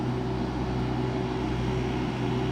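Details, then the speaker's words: Duromax generator, 40 A breaker setup, as a window air conditioner's compressor starts on high cool, with refrigerator running and microwave idle: constant, even drone with steady hum, holding speed without surging; sounds healthy under load. "this will make the generator grunt just a little bit sounds healthy okay so now compressor's running here"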